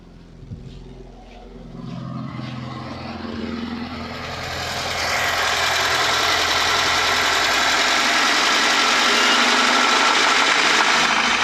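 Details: UZAM 412 engine before repair: rapid, even knocking about three or four times a second over a rising engine roar; teardown found broken rod bearings, worn piston rings, crankshaft end play and a water pump near seizing.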